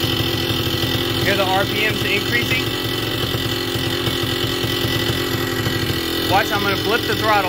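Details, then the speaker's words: Vittorazi Moster 185 paramotor two-stroke, already warm, low needle leaned out: steady buzzy idle, rpm drops after a throttle blip then slowly creeps up; lean-side low needle, close to ideal. "when it's too lean on the low needle you blip the throttle and the rpms come down and then if you wait a second the motor starts to lean out"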